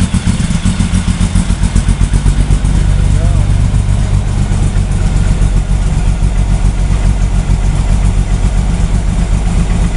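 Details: VW drag engine 2276cc, FK-89 cam, 12.5:1 CR, 91 pump gas, Megasquirt 3, cold at about 44°F, started without throttle: lumpy fast chuffing about four beats a second settling to steady high idle, no misses; normal cold start.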